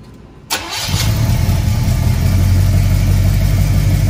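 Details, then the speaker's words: Squarebody Chevy C20 V8, first start after a cam swap: a brief crank, then a lumpy low idle around four beats a second; the distributor is installed 180 degrees off, so it won't fire properly, and the fix is repositioning it. "well looks like i got the distributor 180 degrees off so i'm going to move the distributor and then i'll come back"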